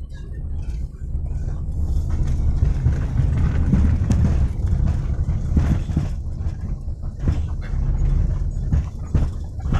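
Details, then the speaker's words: Rear of a Daihatsu Xenia driven over a rough, potholed road: dull irregular "gluduk" clunks from the rear over road rumble, caused by worn rear stabilizer rod rubber bushings. "teman-teman kita lagi nyoba mobil Xenia belakang bunyi blok blok blok gitu ya"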